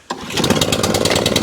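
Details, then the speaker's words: Atco Balmoral 20SK 20-inch mower with Kawasaki engine, stone cold and choked, long unused: catches on the first pull and settles straight into a crisp, quick, even popping beat; healthy cold start. "Hold ya. Every single time. First pull. And that's why they demand the price."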